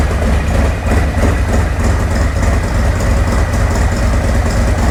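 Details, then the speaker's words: 2024 Harley-Davidson Road Glide, Milwaukee-Eight, cold start after Zippers 534 cam change: loping, uneven-firing thump, strong and steady, intake sucking a lot of air, no clatter, miss or leaks; normal idle. "Sucking a lot of air. Oh, chop for me, baby, chop. No leaks."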